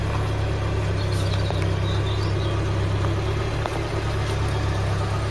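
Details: Classic car not run since 1983, heard from passenger side: smooth, steady low idle with even beat, no knocks or misses, no smoke; idling healthily.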